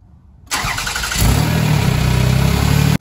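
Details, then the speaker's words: 2003 Toyota Highlander V6 with P0171 lean code, running rich and misfiring: engine cranks, catches and settles into loud rough rumble from an exhaust leak; later found faulty air/fuel sensor, with bank 1 adding fuel. "it does have an exhaust leak so it's a little bit loud but we're not going to run it very long here we go"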